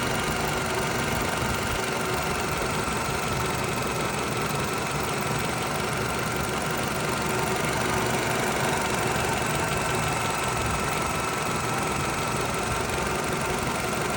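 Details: 2009 Toyota RAV4 after fitting a new upper timing chain guide to fix engine tapping: steady, even idle with a smooth hum and no tapping from the top end; healthy.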